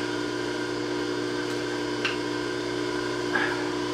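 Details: Bridgeport J-head mill after locked sheave repair and new belt, 3-phase, spindle run after an attempt to bring speed down to 660 rpm: quiet even electric hum, steady tone, no knocking, rubbing or squeal; drive healthy.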